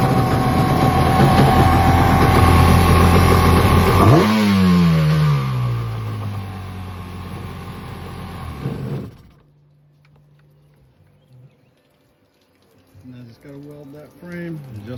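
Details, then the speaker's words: 1995 Yamaha Wave Venture after its no-start issue was fixed: loud, steady high-revving run that drops away and stops, then restarts and settles. The engine runs fine. "She's good to go."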